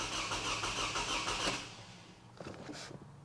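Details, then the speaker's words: 2009 Toyota Camry with a recurring cylinder 2 misfire under load, plugs, coils and pigtails already replaced, cranking for a relative compression test: starter cranks with an uneven, lopsided cadence, some strokes lighter than others. "cuz I'm telling you just spinning it over it sounds like it's got a little bit of a a Cadence issue when it's first starting to crank over"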